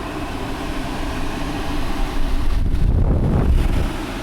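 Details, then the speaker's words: TCL Breeva A5 5-stage HEPA air purifier on speed 3, its fastest setting: loud steady rushing air with low even drone, no knocks or rattles; fan running normally at maximum speed, very loud. "And then we're going to go to 3, which is the fastest setting, and it's very loud."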